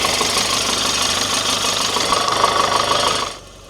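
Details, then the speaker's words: 2014 Audi A1 1.4 TFSI S line, cold start after gearbox, clutch, driveshaft and hub replacement: a harsh scraping rattle over the engine until shutdown, from a bent bracket rubbing on the new clutch. "Well, that was a cold start. It's a little bit noisy."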